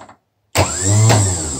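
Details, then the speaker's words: Freshly rebuilt BMW Airhead 8-tooth starter bench-tested off a battery pack with a jumper to the terminal 50 spade. After a click it spins up cleanly to a steady whir with nice engagement and no grinding, so the starter operates normally. "Sounds good? No grinding noises. No grinding noises. Nice engagement"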